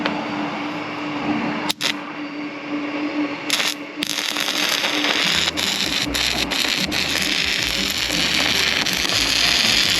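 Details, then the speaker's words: Sefaspe MMA 120 stick welder on 20 A receptacle and breaker, set to 66 A, new E6013 rod on 1/8 inch steel, second run: steady crackling bacon-like sizzle, even once arc settles; normal healthy stick welding arc, burnt 3/4 of rod. "Tell you what, that even sounds good when it's running. I mean, it should sound like bacon sizzling."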